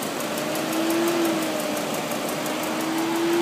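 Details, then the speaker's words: 2001 BMW 540 (E39) V8 at idle: steady idle with a light, sharp tick about four times a second, seemingly from the passenger side of the block; source not yet identified. "It's got a clicking noise, so I'm trying to get some video. Maybe you guys can help me identify it. Sounds like it's coming from the passenger side of the block."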